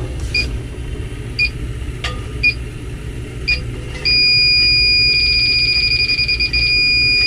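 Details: Beverage-Air chest beer cooler running warm, condenser not warm, likely low on refrigerant: leak detector ticks slowly then jumps to a continuous high alarm tone, finding a refrigerant leak at the cooler.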